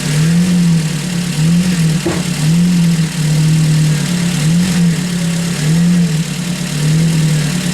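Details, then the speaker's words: Ford Focus after its drive belt was refitted, at steady idle: low moaning tone wavering up and down about once a second; owner suspects air in the power steering system, else a new pump needed; it cleared and worked fine afterwards. "well hopefully it seems like it was just there in the system that's working fine now that was preaching like mad before"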